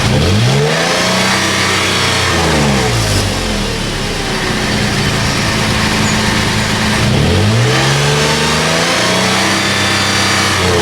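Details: Toyota FJ Cruiser on a lift with the old rusted factory exhaust, before the MagnaFlow cat-back install: engine revs up and falls back twice with a smooth, deep note, no rattles or leaks; normal stock exhaust sound.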